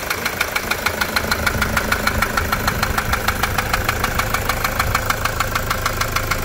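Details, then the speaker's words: Toyota SW4 3.0 diesel, 2015, with problems after a service: sharp metallic knock about three times a second riding steadily over the idle; injector or rod suspected at first, traced to a stuck injector. "barulhão né bico biela saia que que você acha que é vamos tentar descobrir agora batid Seca no motor não é mesmo"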